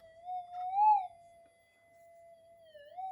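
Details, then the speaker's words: Minelab GPX5000 detector with loss of depth: bending the front mylar flex strip makes a steady whistling tone bend and change pitch, suspected micro breaks in one of the strip's tracks. "it made a different tune you can hear it sort of change tone so what is actually do as far I as I can work out there's micro brakes on this Miler on one of the uh tracks"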